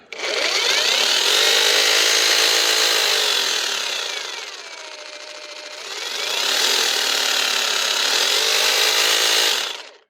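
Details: Parkside Performance X20V Team cordless jigsaw cutting wood after teardown for a motor that stopped turning and sometimes jammed. An even high buzzing drive dips briefly under load and recovers smoothly, with no rubbing or stalling; it now runs normally.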